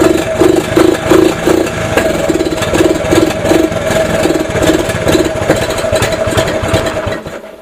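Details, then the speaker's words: 1983 Honda ATC 70 single-cylinder, cold start after sitting over ten years, carb rebuilt: idles with slightly lumpy rhythm, no knocking or rattling, motor quiet and mechanically sound; owner thinks carb still needs cleaning. "probably going to have to run some seafoam through the carb but you guys can hear how quiet it is no noise in the motor"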